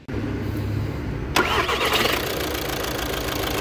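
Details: 2012 VW Jetta 1.6 diesel after starter-gear area repair: short clean crank, engine catches and settles into even idle with no starter grinding; start is normal.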